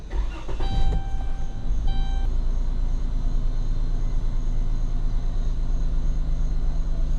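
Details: 2011 Chrysler Town & Country after crank-no-start repair, idling after an ignition cycle while checking whether a PCM code, thought to be fan-relay, returns: steady, even low idle with smooth hum, no misses, knocks or rattles; engine running normally.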